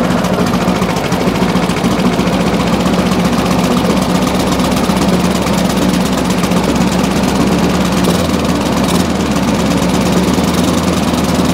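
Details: Briggs and Stratton push mower after a new spring and new air filter, engine sped up: it runs rough and hunting rather than smoothing out; dirty carburetor suspected, clean plus possible gasket and diaphragm change planned.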